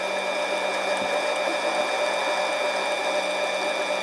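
Steady motor whine with a constant tone and no chatter or interruptions; the tool is cutting cleanly and continuously.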